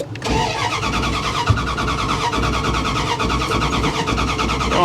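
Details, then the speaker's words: Ram 350, started by holding the ignition ground wire and using a screwdriver: even, rapid starter cranking for several seconds with no firing; crank no start because the tank has no gas. "girl she's not gonna run because she's got no gas none"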